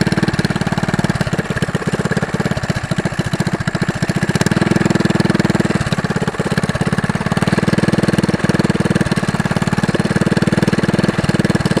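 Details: Go-kart small single at fast idle before homemade brake-cleaner-can muffler: harsh loud rapid popping crackling bark from open pipe; loud unmuffled exhaust.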